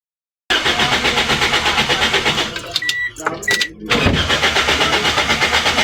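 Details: Toyota Corolla with a hard-start, crank-no-start problem: rough, pulsing cranking at about three beats a second, faltering midway before catching again. The scan shows a camshaft position sensor circuit G signal code; the finding blames faulty spark plugs.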